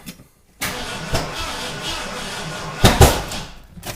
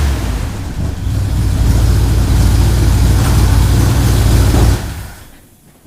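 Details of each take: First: Freshly rebuilt carbureted engine on first fire-up before cam break-in: starter spins it, then a sharp heavy pop with a mist from the carb before it dies; cause unconfirmed. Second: Ford Bronco V8 after motor rebuild, first run, recorded from across the shop; deep steady rumble for about five seconds at even pace before shutting off. Normal running; carb noted running a touch rich.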